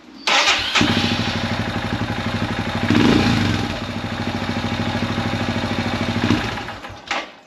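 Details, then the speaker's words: Royal Enfield Himalayan 411 single-cylinder, warm: cranks and catches briefly, runs rough and uneven for seconds then dies; hard starting when warm, won't start at all if hot enough; slight ticking; fuelx removed, evap deleted, new plug, valves adjusted; batteries drain fast; cause unclear. "Yeah, there we go, that's what happens. Eventually, if it gets warm enough, it won't start at all."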